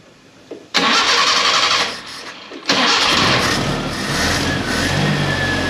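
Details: Premier 118 NE car started after sitting unused a long time: starter cranks briefly, engine catches, drops back, restarts and revs, then settles into steady idle; starts and runs fine.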